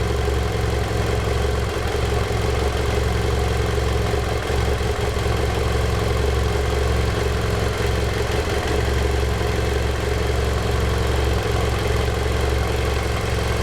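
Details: 2010 BMW F800GS at 17,000 km, steady idle with a rough, uneven clatter riding over the low engine note at about three beats a second; owner wonders whether valves or piston slap, cause unknown.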